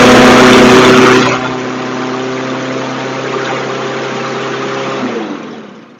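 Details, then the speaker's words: Craftsman push mower after carburetor cleaning, new blade and fresh premium fuel, automatic choke: loud high-revving buzz then a steadier but still quick drone; running too fast, governor spring rod needs bending to adjust; engine overspeed. "That was definitely running kind of high. I'm going have to an adjustment on the side here."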